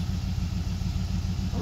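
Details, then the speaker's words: 1990 Dodge Ramcharger 2WD, revived after sitting in a junkyard since about 2014, finally running: deep, even idle with a steady low rumble and no misses or knocks, idling like a dream. "headlights work go ahead and look here I mean she's idling like a [Music] dream"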